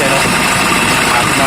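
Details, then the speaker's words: Kia Bongo 3 idling with a loud, steady rushing whir and thin high ring; owner says it is very noisy and checks with a mechanic's stethoscope to locate the source, pointing to a worn idler pulley bearing. "Pumapalyar siya. So yung mga kaidol, napakaingay yung gagawin natin mga kaidol. Maingay siya"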